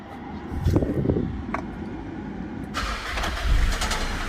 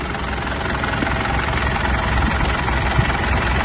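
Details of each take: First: 2008 Mitsubishi Pajero Full 3.2 diesel, cold start: light, uneven rubbing rattle over diesel clatter at idle from the timing chain; chain kit to be replaced. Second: 2008 Mitsubishi Pajero Full 3.2 diesel after timing chain kit replacement: steady idle with smooth, even low rumble, no ticking or rattle; chain noise gone, engine quiet.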